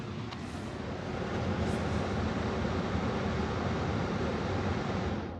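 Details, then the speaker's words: 2023 Tesla Model Y (Hardware 4) heat pump shutting down, microphone near the footwell: soft even airflow rush easing off and fading with no clicks, grinding or rattles; quieter and more refined than the 2021 build, heats and cools faster. "pretty quiet doesn't make a lot of noise doesn't make a lot of fuzz um and it definitely cools and heats faster"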